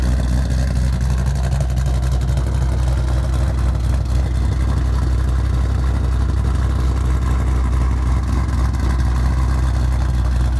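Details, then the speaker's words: Shelby on E85 with GBA long tubes, off-road X-pipe and Magnaflow axle-backs, back running after nearly two years off the road with motor issues: deep, loud, even V8 lope, no misses or ticks; healthy idle. "so there you have it pretty much it sounds good runs good"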